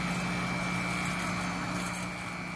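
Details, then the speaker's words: Restored antique Century repulsion-start induction-run motor, rewound or revarnished with new bushings; smooth, steady hum at one constant pitch with no knocks or surging; running normally. "plug it in check it out it really has a beautiful sound when it runs"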